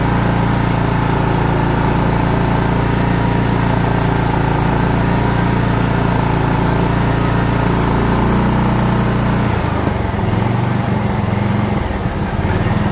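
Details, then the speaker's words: DR all-terrain mower with Kawasaki FV420V engine, revived after sitting for years; carburetor jets sprayed with brake parts cleaner. Loud, steady single-cylinder drone at even speed without surging or missing, easing off near the end. Normal running. "well I think that's good [Applause] all right well that's just a Kawasaki engine for you they don't care they just run"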